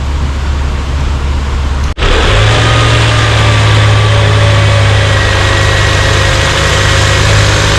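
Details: 2018 Range Rover Evoque petrol engine after refitting the top cover with PCV valve, where air had been leaking, to cure a misfire: steady, even idle with no misfire stumble or hissing leak; scanner shows no cylinder misfire.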